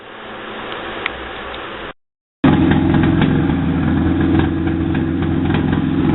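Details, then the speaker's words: 1995 Mazda truck, old timing belt reused, first run with no exhaust pipe or O2 sensor fitted and one rear spark plug not yet accessed. Catches after a short gap into a loud, raw idle with sharp, fairly even pulses. "Yeah, that's it. You can hear it now. Got it running."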